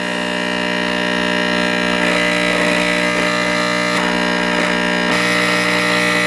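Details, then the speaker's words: 1949 Motorola 58R11 AA5 tube radio after replacing burnt-out 50B5 output tube, volume fully down: loud, steady low buzz with faint crackles; bad filter capacitor, to be replaced. "well with the volume all the way down we still have a really loud buzz so that tells me if the audio out excuse me it tells me it's the uh filter capacitor that's gone bad"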